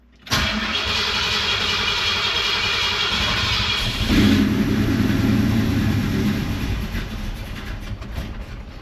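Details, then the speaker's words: 1949 Ford truck newly converted to Aces Killshot EFI, cold start with no throttle: cranks about four seconds, catches with a brief rough roar, then sags and stalls; fires but won't keep running, cause unconfirmed. "Well, she fired. She didn't keep running, but firing up is a good thing."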